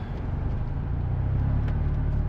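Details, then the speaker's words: 1989 Honda Prelude Si with code 14, warmed to operating temperature, no throttle: deep low idle drifting up and down, still all over the place; idle air control valve tested electrically within spec but manual points to it being mechanically bad. "it's not behaving it's still all over the [Music] place that's not good unfortunately looking through the book all signs in the manual point to the eacv being mechanically bad"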